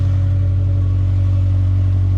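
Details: 2008 Subaru Impreza at about 346,000 miles, check engine light on for an O2 sensor, idling: smooth, deep, even hum with no knocks, ticks or stumbles; healthy idle.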